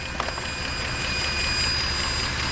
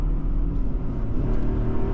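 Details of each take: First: Mercedes ML63 AMG V8 at idle, heard in the engine bay: constant airy hiss riding high over the engine; suspected vacuum leak from a solenoid or intake gasket, not confirmed; valve cover gaskets also leaking. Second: Mercedes ML63 AMG V8 pulling steadily under acceleration around 55 mph zone, deep even rumble with no knocks, misses or rattles; engine sounds healthy, occasional bucking and dim lights blamed on a dead battery.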